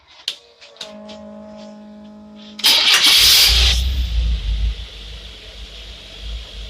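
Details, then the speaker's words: Engine started with a 3D-printed metering block, after every hole had to be drilled out larger and the block ground thinner on a belt sander; quiet hum, then it catches first try and settles into a steady, even run. "You hear that thing start? That is excellent."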